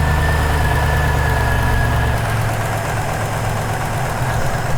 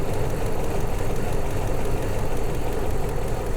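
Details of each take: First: 2001 Toyota Land Cruiser 100 series, 4.7-litre petrol V8, off the road since 2016, idling after an alternator replacement: steady low idle with an even rumble, no knocks or misses; charging at 14 volts, running normally. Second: 2001 Toyota Land Cruiser 100 series, 4.7-litre petrol V8, off the road since 2016, idles deep and lumpy with an uneven stumbling beat after throttle body clean and vacuum leak fixes; scan showed ignition coil misfire code plus MAF and right-bank O2 sensor codes.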